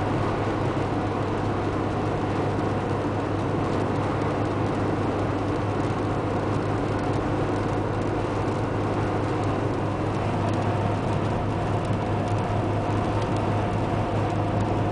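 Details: Fiat Tipo 1.4 i.e. cruising on the highway at about 90 km/h: a steady, loud drone with constant road roar and no knocks; the engine sounds as noisy as it would at 120 km/h.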